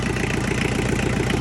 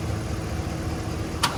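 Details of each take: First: Diesel tractor after tightening loose injectors, intake hose refitted, still needing a fuel filter: even rapid chuffing idle with no misses or stumbles, much quieter; idling cleanly. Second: Tractor diesel pulled from a pasture after sitting, cranked on jumper cables with a dead battery; steady churning crank that never catches, with air trapped in the injector lines. Loosening the injectors bled the air, the idle smoothed and it ran; fuel filter still needed.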